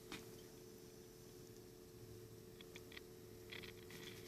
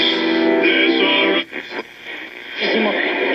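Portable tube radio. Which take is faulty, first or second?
first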